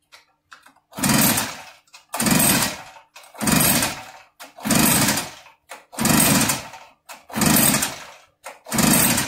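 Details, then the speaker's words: Echo PB8010 two-stroke backpack blower, throttle wide open, possibly flooded: seven long pull-cord bursts about every 1.2 s, quiet gaps, never catches; compression, spark and fuel checked OK. "it should be running okay if it's flooded and the throttle wide open choke is"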